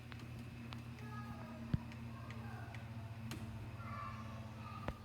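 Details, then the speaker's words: Littleton ceiling fan after its noise problem was fixed, running on low: quiet steady hum with faint even rhythm and a couple of stray ticks; silent and smooth on low, though it wobbles slightly on high. "on high it wobbles a little bit by explaining this is low that doesn't make any sound"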